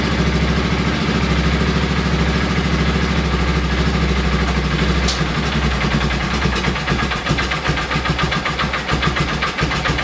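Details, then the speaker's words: Polaris Ranger 6x6 engine, sat two years, carburettor cleaned, old gas drained, running on fresh fuel from a reserve tank, choke being closed: catches and runs with wandering, sagging beat wanting to stall; carburettor needs adjustment. "so i gotta do some minor uh curve adjustments let's close the chill"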